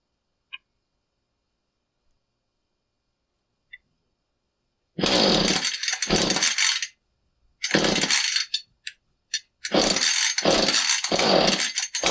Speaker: When you pull on the cord and you get that where it kind of wants to run, but doesn't, here's your part number for the new coil on a 435. Um it's typically a coil.